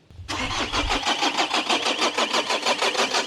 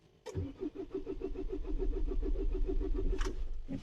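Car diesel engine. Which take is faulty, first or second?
second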